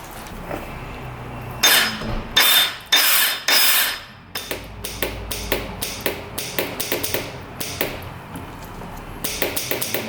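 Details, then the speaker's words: 2002 Yamaha Warrior 350 quad, stator looks good, one-way starter bearing being checked; sharp irregular solenoid clicks under two per second with no cranking, 12 volts reaching solenoid and starter but starter not spinning, possibly worn out. "Now the solenoid is clicking. What the heck? Why is that clicking now? Now the solenoid is just clicking."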